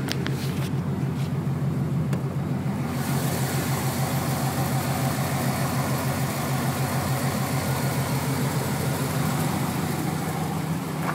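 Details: 1996 Camaro Z28 LT1 V8 at idle: even rumble with a faint, quick, steady ticking from the valve train; owner wonders if valve adjustment is needed, cause unconfirmed.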